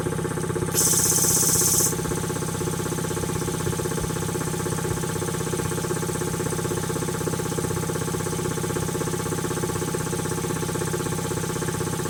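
Even, steady pumping beat around three strokes a second with a short hiss at the start; compressor runs smooth and healthy.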